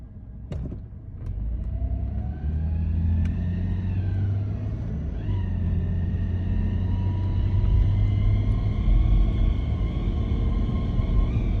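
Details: 1998 Toyota 4Runner: a clear whine over the engine rumble climbs in pitch as the vehicle gains speed, suggesting a whining transmission; the owner suspects clutch slip, but this is unconfirmed.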